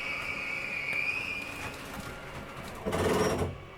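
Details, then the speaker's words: Flagstaff Classic 832CLSB travel trailer, bedroom slide-out retracting: thin motor whine, then a short gritty grind at the stop. Normal end-of-travel noise that keeps the slide from overriding. "once you hear that little grinding noise it's okay to hear that it's just a slide keeping itself from overriding"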